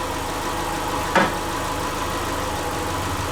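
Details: Subaru Forester with freshly reinstalled EJ25 flat-four, valves not adjusted, warming up around 114–120 coolant: steady, even low idle with one brief tick, otherwise smooth; normal warm-up idle.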